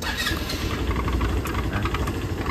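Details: Kymco Like 125 Italia scooter after replacing the faulty brake lever switch that prevented starting: catches and settles into a steady, even idle with a light pulsing rumble and no knocks; runs normally.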